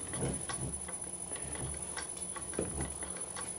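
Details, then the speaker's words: Century-old bench lathe motor on a VFD with a newly fitted V-belt: low, rough hum with irregular ticking knocks, vibration growing as speed drops and the belt bouncing. Pulleys show no significant run-out; owner suspects the belt. "as you can hear the vibration from the motor is getting more pronounced as the speed comes down the belt is vibrating up and down."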